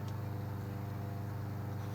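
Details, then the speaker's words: Husqvarna mower with a Kohler engine that the customer said wouldn't run: a fast, steady putter with an even pulse and no misfires or rattles. "That Husqvarna still seems to be running good. I don't know why it wouldn't run for the customer, but it seems to be fired up and running good."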